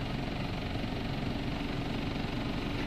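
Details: Engine idling steady, with a smooth low rumble and no knocks, after a thermostat replacement, done because coolant reached only about 150°F after 35 minutes and set a code; after about 10 minutes it reads about 190°F.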